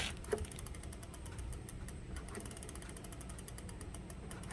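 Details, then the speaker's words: Lectric XP e-bike rear wheel spinning freely after rear disc brake caliper adjusted with 5mm and rotor trued with crescent wrench; fast even freewheel ticking, no scraping or rubbing despite motor resistance, so the rear brake runs clear. "I don't hear it rubbing, so we're gonna leave it at that."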